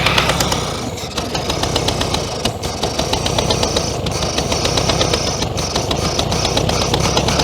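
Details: 1966 VW Beetle, first start after over 10 years in a junkyard, carburetor choked by hand and the accelerator pump delivering fuel. Ragged, uneven running with sharp irregular pops and bangs: misfiring and backfiring.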